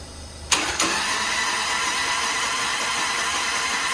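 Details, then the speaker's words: Grandpa's Harley-Davidson off the road over 15 years, spark plugs out, turned over on starter despite suspected dead battery: steady, even cranking with no binding, clunks or slowing; engine turns over freely, nothing locked up. "Okay, that makes me happy. Good. I was sitting there with my head, you know, in my head I was going, God, maybe it's not a bad battery, maybe something's locked up."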